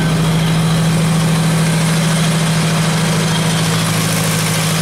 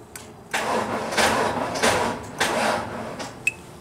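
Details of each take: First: Genie boom lift on a cold site, just started after about 5 minutes on a NOCO GB70 boost pack: steady even idle, no knocks or misses, charging at 14.4 V; normal idle. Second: Dead Genie boom lift on a cold site, NOCO GB70 boost pack at 11.9 V: several uneven, labored cranking bursts that die out and never catch; slow crank from weak battery, needs more juice.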